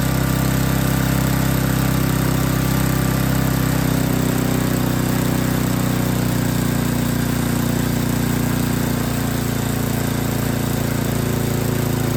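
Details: Yard King snowblower that would not start, small engine at full throttle with choke on, lumpy uneven low chugging that gradually steadies and drops slightly in pitch as the carburetor mixture screw is set; carburetor was not tuned correctly.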